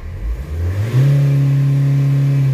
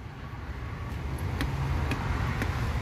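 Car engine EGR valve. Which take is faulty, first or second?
second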